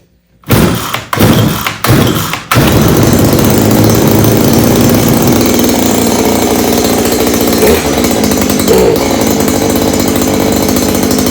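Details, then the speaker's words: Stihl KM94R string trimmer, small two-stroke, started after annual service with new air filters and spark plug, primer bulb not primed: a few short sputtering pulls, hard to get firing, then a loud steady buzzing run with uneven beats. "I didn't prime the primer bubble. Didn't take that much fuel out."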